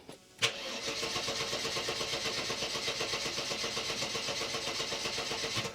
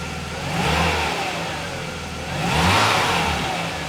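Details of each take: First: Mercedes 300E W124, engine stalled after about 10 minutes running warm: starter cranks evenly about four beats per second for five seconds with no firing; cranks but won't start when hot, owner suspects heat-related fault. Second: Mercedes 300E W124, cold, just after replacing crank position sensor, plugs, leads and distributor cap to cure stalling when warm; engine idles evenly and takes two throttle blips cleanly, revs rising and settling smoothly with no stumble or cough; running normally.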